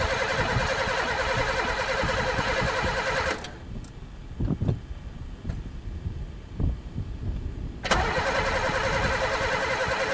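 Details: Pontiac unstarted for 3 years, gas dumped in the carb: starter spins at about three to four beats a second, stops, cranks again, and the engine never fires. Cranks, no start; owner suspects no spark, and possibly chewed wires, broken fuel lines or a stuck throttle.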